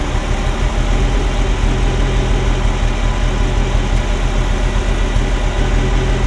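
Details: Ferrari Mondial V8 at idle, hard to start, timing out; deep, lumpy, uneven thrum like an old marine engine, misfiring; unplugging one sensor changes the idle, another stops it; owner suspects a sensor, unconfirmed.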